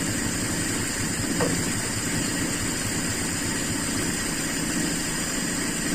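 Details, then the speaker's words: Toyota Kijang Super carbureted engine, cold start after 8 hours sitting, following jet changes: smooth but very low, slow even idle pulse needing throttle; mixture still too lean. "menurut saya inilah kondisi normal teman-teman jadi perlu diinjak pedal gas itu berarti campuran masih terlalu miskin"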